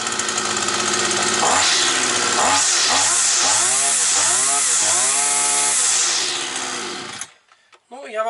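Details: Petrol brush cutter that used to start, then cut out; a bent crankshaft was found. After the repair repeated throttle blips pick up cleanly and hold without cutting out, and the flywheel runs true: normal running.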